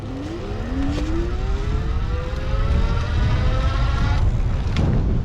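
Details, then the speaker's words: iGO Core Elite II e-bike, Shengyi 48 V hub motor with 22 A controller, full throttle at assist level 9: whine climbs steadily in pitch over road rumble; normal hub motor noise, no cogging drag. "There's no cogging drag or anything, but you do get a little bit of rrr."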